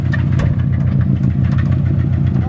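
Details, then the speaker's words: Subaru WRX with aftermarket top-mount turbo after a night of drifting: rough idle with a steady low thudding knock under the exhaust; onlookers suspect a bearing about to fail, possibly rod knock, not confirmed. "i don't know i feel like a bearing's about to let go on you on the on the road"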